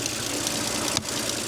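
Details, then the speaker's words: Audi S5 engine at idle: a light, fast, metallic ticking over a smooth idle, heard from the rocker side rather than the high-pressure fuel pump, most likely from the rockers. The camshaft sprockets are also worn, and the rockers are due for replacement. "But if I start the engine right now, it has a tick, which I'm pretty sure is from the rockers,"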